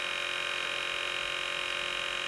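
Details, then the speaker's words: NPR film camera motor running off crystal sync at a slow-motion speed, warning lamp on: steady, even buzzing whine with no knocks, noisy at this speed; normal motor whine. "As you can see, as you can hear, it's quite noisy when it does slow motion, like every other camera"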